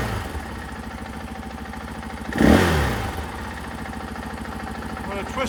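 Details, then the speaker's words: 2024 KTM 500 XW-F single-cylinder with Vortex ECU installed on stock intake; idle snaps up to a sharp rev when opened fast and drops back cleanly without stumbling; throttle response healthy. "all the way open fast well you can see in here now that it's very responsive"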